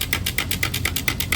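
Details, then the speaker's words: Honda S2000, unit turned slowly by hand: sharp metallic clicks about four a second, getting worse; something loose inside suspected, frees up when tilted; cause not confirmed. "Yeah, it's getting worse. There it is. Yeah, there's something loose in it. It has to be."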